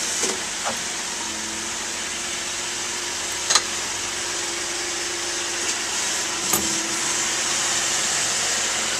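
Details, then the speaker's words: 2010 Mazda CX-9 front end clicking while slowly pulling out of a driveway: sharp, isolated clicks pop out irregularly over a steady hiss of slow driving, an intermittent front end click. "There's another click. There's another click. One more."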